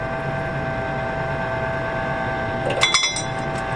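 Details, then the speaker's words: Camp Chef pellet grill after replacing the stuck auger motor, held on feed: steady motor hum with a light scatter of pellet ticks dropping near the end; the auger now turns and feeds smoothly. "the auger is moving which it was not moving with the old one so it's gonna take a few minutes to do it and it's just gonna start falling down in there"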